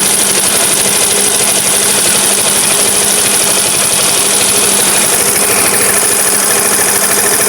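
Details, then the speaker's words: Vespa automatic (Sprint) scooter idling after throttle body cleaning: busy, slightly uneven beat that sags, RPM drops by itself and stalls, throttle feels lost; wiring to be checked. "Dan ini RPM tiba-tiba turun sendiri terus langsung mati. Di sini sudah dilakukan pembersihan dari trotan. Tetapi ini tetap masih RPM-nya turun sendiri dan tidak bisa stabil."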